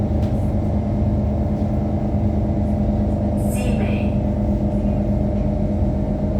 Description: Note that the AC on this particular trainset at 3058 seems to be extremely loud as it manages to drown out most of the sound of the motor, causing the entire carriage to vibrate intensely.